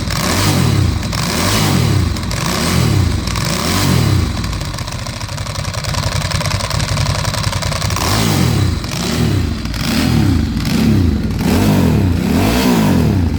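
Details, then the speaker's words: 2008 Ducati Hypermotard 1100S V-twin idling unevenly with throttle blips and a light clatter, dash service, EML and fuel lights on; owner unsure if the noise is normal. "But overall it doesn't sound too bad apart from the fluff, so I don't know if that's supposed to sound like that."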